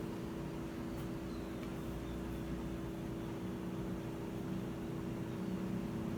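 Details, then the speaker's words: Whirlpool top-load washer not spinning after recalibration, lid lock showing drain and spin: only drain pump humming, drum not turning; cause not confirmed. "lo único que escuchamos es la bomba del desagüe pero fuera de ahí no nos está haciendo nada"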